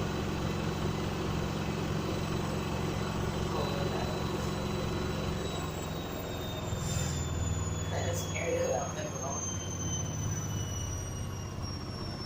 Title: Very unbalanced daily quick final spin with strange sound from the motor when slowing down